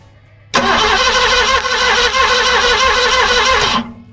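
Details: 1970 Ford Mustang fastback, 351 V8, sitting 20 years, new starter and power leads: even rapid cranking about three seconds with no catch, then stops; crank no start.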